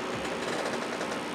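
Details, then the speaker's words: Power Mac G5 Quad, system frozen with fans spinning up: liquid cooling pump gives a steady whir with a faint quick rattle; owner suspects a failing pump bearing, or possibly a broken impeller or chunks hitting it. "pump I believe it's this one right here sounds a little bit Radley cameras picking that up or not so it's probably got a bearing in it that's going bad"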